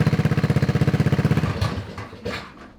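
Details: Honda 5HP overhead-cam engine on a yard go-kart, linkage redone and some parts bypassed: fast, regular chuffing for about a second and a half, then the beat fades and the engine stalls, still won't idle.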